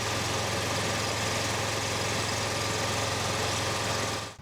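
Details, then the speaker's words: John Deere Z915E zero-turn mower after repairing a frayed, disconnected charging wire at the starter (battery 12.6 V, expecting over 13 V running): steady even firing beat, no misses, idling normally before stopping; repair judged successful. "the old Deere is alive again. Yep, that seems like it was a success, so awesome."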